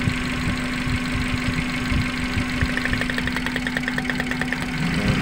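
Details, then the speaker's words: Suzuki Carry Futura pickup during a coil-pull cut test: the idle turns lumpy and stumbles when this coil is pulled, so that cylinder is good. Pulling number 3 causes no change, pointing to the misfiring cylinder. "pada saat kita cabut pengaruhnya sangat besar yaitu mesinnya sampai guyang seperti ini jadi kondisinya bagus"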